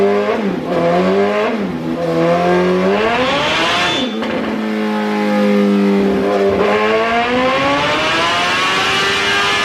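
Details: 2008 Suzuki GSX-R1000 on a dyno, ECU reflashed back to stock after another shop's map, warmed up: repeated clean full-throttle pulls, pitch climbing smoothly and dropping back with no stumble or cut-out; fuelling sounds healthy.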